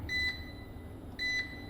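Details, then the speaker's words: Solar smart inverter on its settings menu: two short, clear high-pitched beeps about a second apart in a quiet room; normal keypress buzzer, which can be disabled in settings. "Bu ses. Eğer e bip bip yapmasını istemiyorsanız değiştirebilirsiniz."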